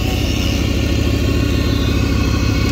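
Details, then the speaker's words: 1999 Dodge Durango SLT V8 idling after sitting 14 years, with new plug wires: loud, steady idle with a rapid low puffing pulse from an exhaust leak up front; otherwise running well. "a little better it's loud it's got an exhaust leak up front but sounds good"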